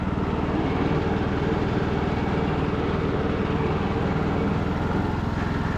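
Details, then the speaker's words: Craftsman LT2000 riding mower, revived after sitting a couple of years, reversing up a hill in the rain: the engine holds a steady drone with no whine, grinding, surging or felt slipping, so the hydrostatic drive is normal under load. "Reverse is fast. Sweet. I don't hear anything crazy going on with the drive system, and it seems like it's going pretty good speed there."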